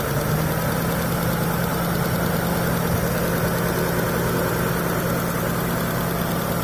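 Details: Mitsubishi Galant V6 engine test after fitting new rod and main bearings: steady smooth idle with no knocking or tapping; normal idle.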